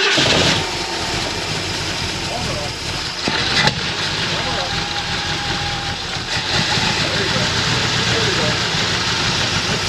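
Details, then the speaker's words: 351 Cleveland V8 in a 1979 Mercury Capri with a stuck distributor, just started after priming with fuel: catches and settles into a lumpy, uneven idle around 780 rpm, charging 14 volts; ignition timing badly off, damper timing marks not visible yet. "That motor wants to run nice and strong. And the timing is all messed up. We got to see where the marks are in the damper."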